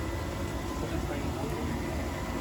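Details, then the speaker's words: Newly installed Weil McLain CGi4 gas boiler replacing an oversized Burnham PV205: after earlier ignition attempts it lights, giving a soft steady fan hum and burner rush with no banging or whistling. Quieter than expected; normal running. "now we have ignition yeah you can hear that you can hear it I thought it would be louder the fan"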